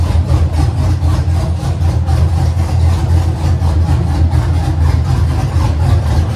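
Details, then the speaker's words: LS V8-swapped Nissan 240SX with a freshly installed Haltech on a quick base tune, first startup, no full exhaust fitted yet: a deep, even idle with a steady low rumble and regular pulsing, no misses or knocks. Runs cleanly. "Dude, for a quick setup bass tune, that thing started to sound good."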